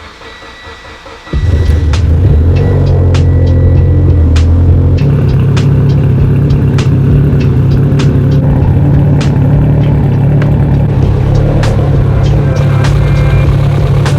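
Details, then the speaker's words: Mitsubishi Evo 10 with new engine and transmission, first start on EMU Black standalone ECU after a suspected flex fuel sensor issue: short crank then steady even idle with music behind; running and idling perfectly. "So far, the car is running absolutely phenomenal. Getting everything idling perfectly."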